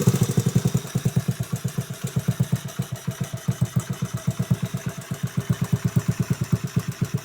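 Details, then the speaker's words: Restored 1986 Honda Z50R pit bike with aftermarket exhaust, steady low thumping at about seven beats a second with small throttle blips, running cleanly. "it's got an aftermarket exhaust i found for the bike it runs pretty good"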